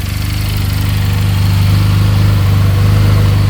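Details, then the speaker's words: 2022 Benelli 302S, bought at auction, idling after rev test: an even, deep thumping idle that swells slightly and holds steady, with no ticking, rattling or misses. No fuel leak found; sounds really good. Normal idle. "Yeah, it's not leaking anything. Wow. Sounds really good."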